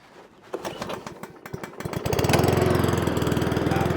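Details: Cobra self-propelled lawnmower after a morning carburetor cleanup for a fuel leak from a dirty needle. Primed five pumps, then pull-started: a few rope rattles, then it catches and settles into a steady, even beat. Starts and runs cleanly.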